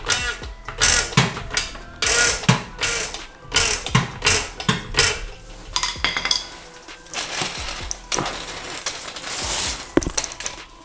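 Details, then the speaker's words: BMW E90/E91/E92/E93 on jack stands, suspension pushed with hydraulic jack, engine off: repeated creaking squeaks in bursts from the dry bushing between spindle and lower control arm; temporary fix is lubricating it, proper fix replacing bushings. "this bushing between the spindle and the lower control arm makes that horrible noise"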